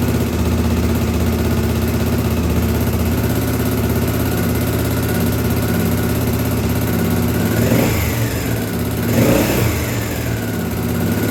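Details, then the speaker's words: 1983 Honda XL600R single-cylinder, first start after top-end rebuild (1mm overbore, Wiseco 11:1 piston, Megacycle stage one cam, heavy-duty springs, rebuilt carbs): steady idle with two quick clean blips; runs normally, needs break-in heat cycles. "okay guys there you go you got to see that's the actual first start"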